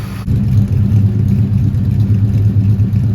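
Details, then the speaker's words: 1971 Dodge Demon 340 V8 driving after valvetrain repair: even, deep, smooth rumble with no more ticking from the top end; engine running healthy. "Yeah, sounds like 8 happy cylinders to me. Yep. Remind me to get the driveway fixed. Oh yeah, just a regular old daily driver. Sounding pretty good. No more ticky noises."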